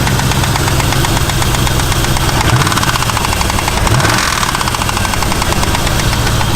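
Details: Truck engine at idle, runs without miss, oil pressure fine; fast even ticking knock over low rumble, seeming from one side; owner first suspected lifter, engine has anti-lash followers; cause unconfirmed.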